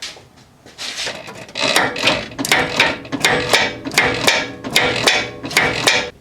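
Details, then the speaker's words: 1987 Lincoln Town Car with loose steering and a front clunk while turning the wheel: sharp knocking clunks about every three-quarters of a second as the steering is turned, from a worn idler arm joint with a lot of play. "okay as you saw there was actually a lot of play here and that was what makes that clunking noise"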